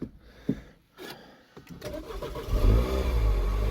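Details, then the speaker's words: 2009 Mini Cooper R56, 50k on the clock, non-starter with inlet and exhaust camshaft sensor fault codes: after replacing both camshaft position sensors it cranks briefly, catches and climbs into a strong, steady rev with no misfire. "oh yeah baby we have liftoff oh good what's up"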